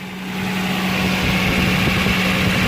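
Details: 2009 Toyota Land Cruiser GXR 1GR V6 idling, with a soft rapid puffing tick from the left side of the engine: an exhaust leak, not at the manifold face, suspected lower on the pipe below the door.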